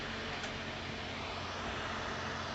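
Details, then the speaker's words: LG Inverter Linear refrigerator 4-wire fan driven at nearly 100% PWM duty (~15.8 kHz), about 3.1 V: steady loud airy rush with no wobble or rattle; fan spinning fast and evenly, normal. "Tenemos ya casi el 100% del trabajo del ventilador. Se escucha incluso su velocidad,"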